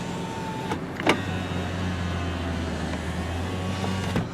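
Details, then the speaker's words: 2004 Kia Amanti sedan with 13,528 miles, power window test: a steady low motor hum runs smoothly for about three seconds and stops cleanly, with no grinding or binding; normal power window operation. "all right so there's our Windows"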